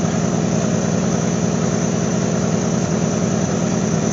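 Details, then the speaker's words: GMC Sonoma at idle after its holed muffler was swapped for a used junkyard straight-through glass-pack-style muffler, checked for leaks: deep, steady, even exhaust burble with no puffing or ticking. The replacement muffler sounds sealed and healthy. "I know what she sounded like with a hole in the muffler and uh now I want to see what it sounds like with this is a different kind of glass pack"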